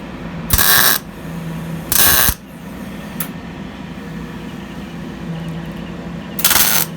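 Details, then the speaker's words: MIG spot-welding thin sheet metal on a truck bed: three short bursts of even, sizzling crackle like frying bacon, each under a second with quiet gaps, showing correct settings and a good ground; correct MIG welding crackle. "There you go. So as you can hear, it just sounds like cooking bacon. Get that sound, get a good ground, and then obviously I'm just spotting it in right now."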